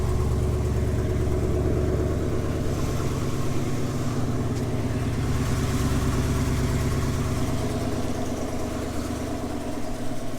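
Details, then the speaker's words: GMC 2500 Vortec V8 at cold idle, a truck that earlier lost oil pressure once and squeals only when warm: low, even idle, steady rhythm, no knocking or ticking; healthy cold idle with the squeal not yet present. "so when it's cold it doesn't do it and sounds healthy runs good [Music] no big knocking noises or"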